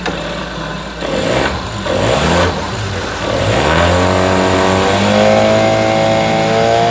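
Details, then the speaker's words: 9.9 hp Mercury outboard that wouldn't start, with the old fuel line that was sucking air found to be the problem; catches, stumbles briefly, then revs smoothly and holds a steady even note, running normally. "yeah it's running good i don't see any problem with this full"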